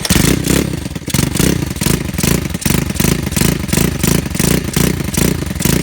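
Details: Pitster Pro LXR pit bike with a freshly rebuilt Piranha 140 engine and carburetor kit, startup and revs: loud single-cylinder bark with about eleven quick, even blips in six seconds and a crisp return to idle; healthy engine.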